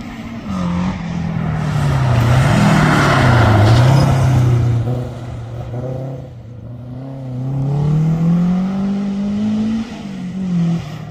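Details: Toyota Starlet hotrod on slicks at a Curborough Sprint session, after chassis welds were repaired and fuel and ignition gremlins sorted: strong, clean engine note rising and falling with throttle, no misfires or stumbles, running perfect under load.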